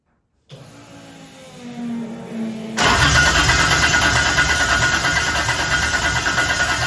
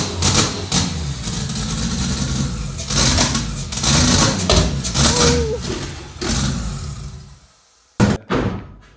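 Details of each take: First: 2JZ-swapped Toyota Celica after fixing a backwards-wired crank position sensor, started with fuel poured in; two seconds of cranking with rising starter whine, catches into a rough roar but won't keep running, starter sticking. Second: 2JZ-swapped Toyota Celica, first start after fixing ignition wiring at the ECU: uneven, lumpy idle with irregular surges and dips before dying away; runs on its own but idles roughly.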